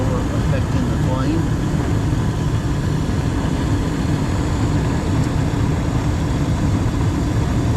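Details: Gas furnace in a house that had no heat on a cold morning, running after the gas was turned on and the pilot lit, before a carbon monoxide reading. Steady, even low roar from burner and blower with no surging or rattles: normal operation.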